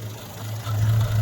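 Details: 1963 Rover P4 110 2.6 saloon, manual with overdrive, just started after a hesitant first attempt: low, steady idle hum rises, dips briefly then recovers; slightly unsteady idle, cause unknown.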